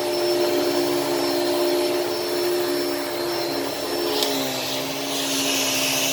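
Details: Hoover Elite Cyclonic S3825 canister vacuum, first run after a new belt was fitted: a steady, high whooshing motor note and even hum with a brief click, no grinding or slipping. Suction is good and the brush is agitating; running normally.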